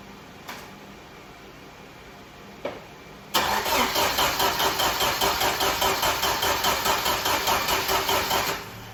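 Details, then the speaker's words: 1995 Jeep Wrangler YJ engine that sat 18 months: a steady starter churn of about 2.5 beats a second for over five seconds with no firing. It cranks but won't start, and the spark plug comes out dry with no fuel. "No dice. Let's take out the plug and see if we got any fuel in it now. All right, guys, still no dice here. Still dry as a bone."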